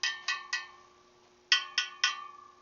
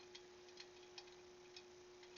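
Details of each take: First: Motorcycle wheel being trued after respoking: spokes tapped in groups of three or four, each ringing the same clear high note, after an earlier loose spoke sounded lower; the spokes are evenly tensioned. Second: Motorcycle wheel freshly relaced, spun on an old wheel balancer used as a truing stand for a rough set: a faint, irregular light ticking over a quiet steady tone from a few still-loose spoke nipples.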